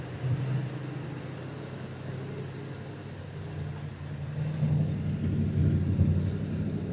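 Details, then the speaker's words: 1967 Mercury Monterey V8 with old carburetor, fuel poured in, still spitting some fuel: fast idle with uneven lumpy beat and occasional stumble; owner thinks it's missing, idle needs lowering. "I think we're missing That old carburetor does the job."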